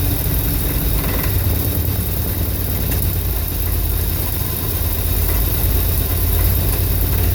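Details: 1983 Dodge D250 318 V8 after swapping a Carter Thermoquad for an Edelbrock 600 carburetor: heavy idle that sags and swells unevenly with a faint rattle and backfire; rough, fluctuating idle, cause unclear.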